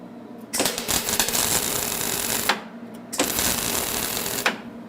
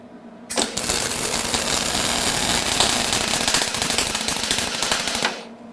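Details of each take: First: HTP MIG 130 welder on its lowest heat setting (1), wire speed retuned: two short bursts with an even crackling "sizzling bacon" sound, wire speed matched, though the welds sit on top of the metal from too little arc power. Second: HTP MIG 130 welder arcing with wire speed set way too fast: harsh, uneven crackling with loud pops, big balls of weld on the wire end, spatter everywhere and bad penetration.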